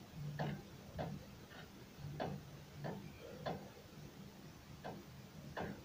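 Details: Renault Duster front suspension checked from underneath after knocks appeared when pulling away and stopping: sharp dry uneven clicks, about one or two a second, each time the wheel is rocked; steering tie-rod end suspected loose, not confirmed.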